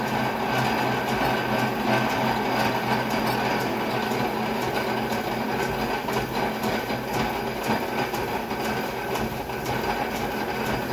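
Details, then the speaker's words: Drilling a mini excavator pin with an oversized, overly long drill bit: a harsh, uneven grinding chatter with rough irregular clatter as the bit labours in the cut; the oversized bit is overloaded and chattering. "that's why it's tough to drill with this great big freaking drill that's why it was probably stupid to attempt at first it's probably stupid to use a drill bit this long anyways i really don't sound happy that's for"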